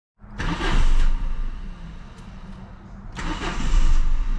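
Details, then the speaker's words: 2001 Saturn SL1 with 69,492 miles and fuel pressure of only about 9 psi; the engine catches with a rev burst, sags almost to stalling, then flares again. It needs a fuel pump. "it has no fuel pressure um barely it's got some nine pounds yeah not enough he needs fuel pump"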